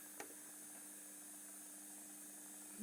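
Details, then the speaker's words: APC Back-UPS BX950 desktop UPS, almost new and fully charged, idling on mains power gives a quiet but continuous low electrical buzz, judged too noisy for bedroom use; microphone on top of the camera. "this buzzing i mean this is not something you want next to your head when you are you know the computer is close uh to your bed it's just this unit is completely not suitable for bedroom use"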